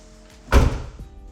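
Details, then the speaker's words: 2016-2020 Kia Optima Hybrid after replacing a failed trunk latch: one solid, deep thunk as the lid drops and catches cleanly with no rattle; trunk latch closing normally. "The trunk closes, no problem. Everything works as normal."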